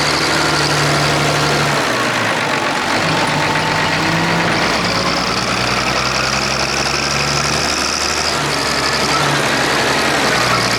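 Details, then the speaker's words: Clark Michigan diesel front end loader working under load; lumpy running with an uneven stumble in the firing beat, one cylinder dead from a cracked number 6 injector line on the inline injector pump. "Alright everyone, you can hear that miss in it when I'm working. It's number 6 on the inline injector pump there."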